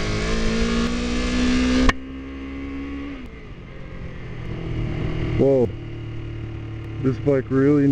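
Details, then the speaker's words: Kawasaki Ninja 250R, cold, on choke, seemingly dropped on both sides: revs rise unevenly then sag and surge in uneven blips; rough running, seems to need a tune-up, cause unclear. "really needs a tune-up. This bike sounds sick. Like it's... Something's not jiving there."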